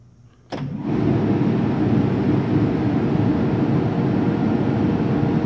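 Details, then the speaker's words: 2005 Boge 40 HP variable-speed compressor, 79131 run/1909 loaded hours, starting and running up toward about 105 psi before the motor winds back down: click, then a smooth even roar building and holding steady, no knocks; normal run-up. "you'll be able to hear the motor whine back down once it gets up to pressure where around 105"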